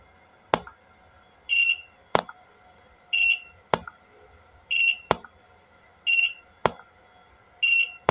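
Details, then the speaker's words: Golden Eagle L-300A studio flash, repaired after a broken bulb, burnt shorts and power button failure, fired at highest power: sharp pops with high ready-beeps. Recycle is about 2 seconds, as original, and power is fine. "mantap luar biasa ya Om ya udah jos nih reloadnya bagus 2 detik sesuai aslinya ya power tembakannya masih mantap"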